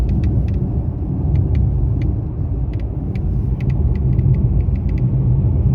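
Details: Mercedes-Benz E-Class W213 under warranty while driving: sharp, irregular crackles and ticks from the dashboard come and go over road rumble; intermittent dashboard rattle, dealer unable to find cause after about eight visits.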